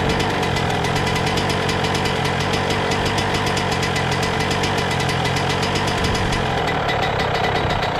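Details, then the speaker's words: 2000 Suzuki RM125 two-stroke, first start after cleaning, warming up on choke: fast, even idle with a thick burbling note. Owner suspects it's still running a little rich, possibly jetted for a silencer; plans to lower the jets or fit a new silencer. "all right let's see what she does she sounds like she's running a little Rich still so I'll probably down those Jets a little bit or just go ahead and put a new uh silencer on it because it seems like it's jetted for uh silencer"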